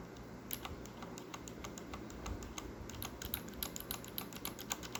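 Quick bursts of sharp, crisp clicks as keys are typed, far louder and snappier than smooth linear switches should sound.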